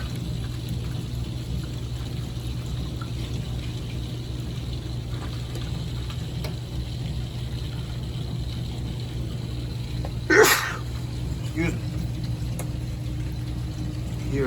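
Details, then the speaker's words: Hydronic radiant heating manifold after replacing the circulator, purging loop five with a hose; steady rushing gurgling flow with low hum and a brief splash as trapped air pockets pass through, then quieter; air pockets hurt circulation. "wait for all those pockets of air to disappear all right she got much [Music] quiet"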